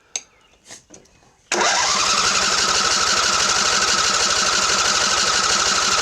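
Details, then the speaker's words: Craftsman LT1000 20hp riding mower with water in the gas tank, fuel coming out half gas half water: fast, even starter cranking around four beats per second with no catch; cranks but won't start due to water in fuel. "oh it's getting better it's not quite so orange but it's still half gas half water oh that's not good"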